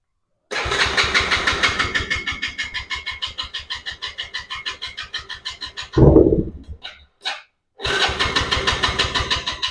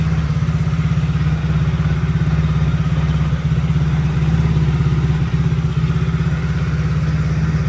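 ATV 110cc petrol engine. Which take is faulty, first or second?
first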